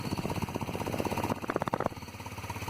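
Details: Yerf Dog CUV Rover, engine running: fast, loose metallic chatter, steady then briefly louder, from a worn rear chain tensioner slapping the chain; chassis pipe broken and vibrating.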